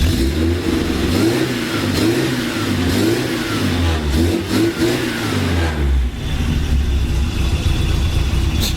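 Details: Suzuki SJ 4x4 off-roader after leaf spring bush replacement, earlier suspected of an ignition problem rather than fuel filter: engine revs up and settles in smooth even sweeps with no stumble or popping, running well.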